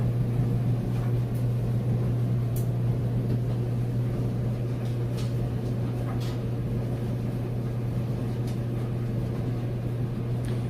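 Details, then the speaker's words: Whirlpool Cabrio Platinum electric dryer, about three years old, on normal cycle: steady low drum rumble, even motor hum, light tumbling, no scraping or squeal; running smoothly and heating properly. "you can hear sounds great runs nice smooth operation heats perfectly"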